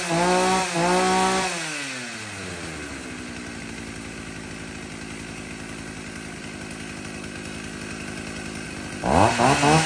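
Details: Husqvarna 40 chainsaw, Swedish-made, original two-stroke: revs climb and fall at start and end with a steady, even idle between, no missing or rattle; healthy saw.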